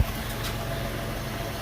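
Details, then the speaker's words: Early-2000s Pontiac Montana van with 3.4 engine, first start-up just after an aftermarket muffler install that fixed an earlier exhaust leak; even, smooth low idle with steady exhaust note and no puffing or ticking, no leaks. "here we go first start up it sounds really good [Music] that's good enough we'll just crawl not a single leak"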